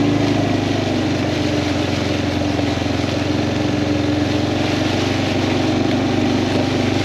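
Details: Kawasaki Prairie 400 single-cylinder ATV after engine rebuild, on a test ride, camera on magnetic base: steady even drone at constant speed, no knocks or misses; runs smooth; carburetor float still needs adjusting; normal running.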